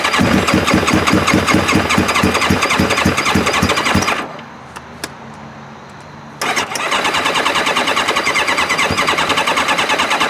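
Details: 2002 Kawasaki ZX7R, previously hard to start and wouldn't idle without choke, fires and settles into a steady, even idle after a carb service clearing clogged pilot jets, then restarts cleanly after shutdown.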